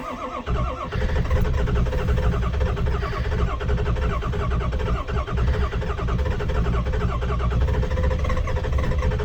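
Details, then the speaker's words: 7.3 diesel truck at 7 degrees outside, not plugged in, no ether, after failing to start two days running. Long, labored cranking with an uneven chug catches and settles into a rough diesel clatter; hard cold start. "that's a cold start a big motor"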